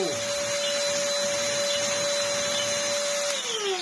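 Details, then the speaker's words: 10V Black & Decker DustBuster Flexi overdriven on a higher-voltage supply: high steady motor whine for three seconds, then pitch drops as power falls; motor spins much faster but the machine is still poor. "wow that's spiced it up a bit it's still pretty rubbish though just because the motor is spinning a lot faster doesn't mean that the machine is any good"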